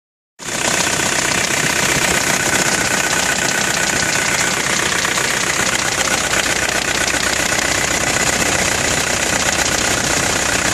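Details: Nissan Navara D22 pickup at idle: steady, fairly regular knock about four beats a second during the first 20 seconds; owner wonders if timing chain or big-end bearing failure, cause unconfirmed.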